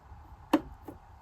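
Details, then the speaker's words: Janome sewing machine: the bobbin winder head is moved across and clicks into place, a crisp single click followed by a faint second click as the winder shaft snaps into its engaged position. "Now this bobbin head, move it across and it clicks into place. Did you see that?"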